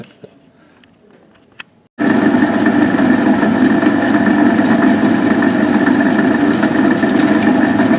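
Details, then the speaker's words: Van Wert coal stoker under a Gentleman Janitor JG5 boiler burning pea-size anthracite after six days' running: steady mechanical drone with an uneven rough churn and faint repeating clatter from the gearbox; worn input shaft end play. "here's some uh video of the stoker running and the not very good noise that the gearbox is making but it'll uh it'll it'll keep going for another month like that I hope"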